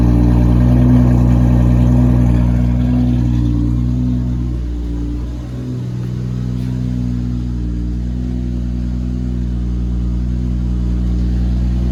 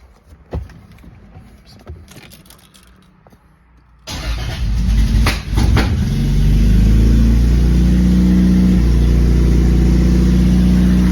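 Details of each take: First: Cold start of a 2JZ-GTE-swapped Lexus SC300 with a 4-inch straight-pipe exhaust, not yet fully tuned, on an EMU Classic ECU: loud six settles into a steady, even idle after a brief dip, no hunting or surging; healthy. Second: Very first start attempt of a 2JZ-GTE-swapped Lexus SC300 build, with fuel and oil pressure confirmed: quiet clicks, a short crank, then it catches on the first try and climbs to a fast even idle with a faint occasional stumble, a slight misfire of unconfirmed cause.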